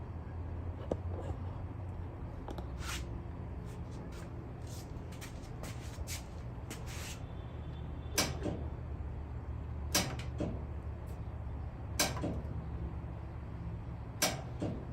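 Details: Clothes dryer that only clicks and won't start: sharp single clicks every couple of seconds with no motor hum; drive belt found broken.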